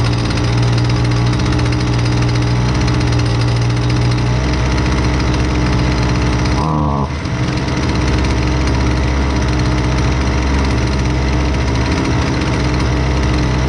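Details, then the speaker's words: Husqvarna 128LDX two-stroke string trimmer, fixed after sitting unused, during high and low speed jet carb adjustment: steady high buzz, pitch shifting twice as mixture is tuned; clean, even, normal running. "Um I guess, you know, you'll be able to see how the machine reacts to rich and lean settings on the high and the low speed jets."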